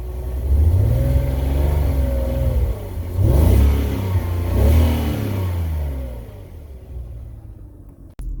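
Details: BMW 330ci petrol engine with a low, lumpy rough idle and a couple of throttle blips; the beat wavers rather than holding steady, cause unclear.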